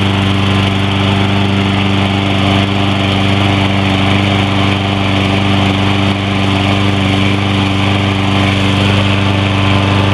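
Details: Troy-Bilt 21-inch push mower with 6.75 HP 190cc Briggs & Stratton engine, ReadyStart with no choke or primer, started first pull: steady even running at constant pace, no misses, knocks or surging; healthy.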